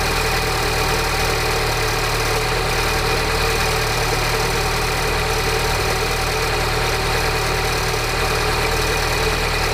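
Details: Peugeot RCZ THP 200 petrol engine at cold start idle: fast, uneven metallic rattle over the running note; cause still unidentified despite new timing chain, tensioner, sprockets and guides.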